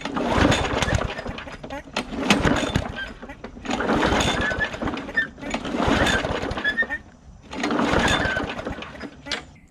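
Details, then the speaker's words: Bolens 22-inch push mower, primed, plug wire on: five pull-cord bursts about two seconds apart whirr and rattle, never fires; later found a huge split in the intake tube sucking in air. "there's a huge split right down the intake tube on here. So it is sucking in a bunch of air, and so that's what the problem was earlier."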